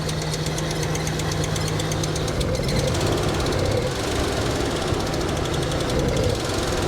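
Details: Abandoned Nissan R34 Skyline with a Neo engine; steady but lumpy idle with a coarse ragged beat that never settles; unplugging the TPS changes nothing, so a faulty throttle position sensor is suspected.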